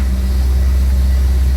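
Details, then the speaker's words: 1929 Cord L29 Cabriolet started cold after seven months of winter storage, carburetor likely dried out, electric fuel pump primed; choke pulled out, steady low even rumble with no knocks or misses, smooth cold idle on choke while warming up. "Okay, pull out the choke. Pull out the starter knob. Not too bad. Gotta keep the right balance of choke till it warms up a little bit."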